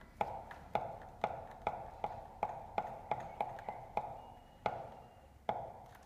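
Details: Babyjogger City Elite stroller rolling: sharp hollow clacks about twice a second, irregularly spaced, from a rattling front wheel; the rattle can also be triggered by hand.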